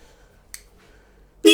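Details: Royal Enfield Interceptor 650 with a mocked-up wiring harness for Remmoto 2.0 custom switchgear: a short click then a loud, steady, bright horn blast of about a third of a second; horn working.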